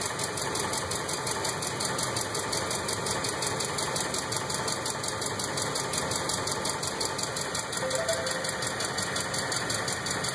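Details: 2005 Ford F150 5.4 3V V8 at idle, before repair: light rapid ticking about two per second over a steady idle, caused by seized hydraulic lash adjusters (lifters).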